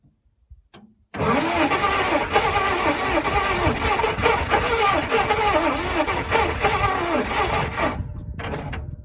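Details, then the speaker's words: 1956 Dodge C3-H6 1.5-ton truck, not run in 20+ years, oil topped up, mixed gas fed in; cranks about four beats a second with one weak pop, then no firing; spark confirmed, plugs wet and fouled, to be pulled and cylinders dried. "Well, she popped off for a split second there. Then I gave it some more gas and then it acted like it wasn't hitting at all. So I checked to see if I still had spark, and it does. So I pulled a couple plugs and sure enough, they're wet and fouled up."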